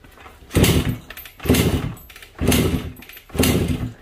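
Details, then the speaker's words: Suzuki AX100 with kill-switch wire reconnected: four kicks about a second apart, each a short thumping churn with no firing; bad contact in switch wiring steals the spark, causing no-start despite new ignition coil. "haga lo que haga no se prende y si desconecto hago Entonces en este caso es simplemente la conexión del switch el cablecito que se va al switch el switch está haciendo algún mal contacto y eso está provocando que se robe La chispa"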